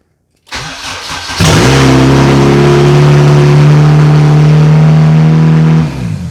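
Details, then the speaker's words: 1996 JDM Honda CR-V RD1 AWD with a K24 swap, automatic chassis, running a Hondata KPro base map, at first start. It catches after a short crank and settles into a loud, steady, even run with no misses or knocks. "if i start this it's probably gonna keep running and it'll be really really [ __ ] loud"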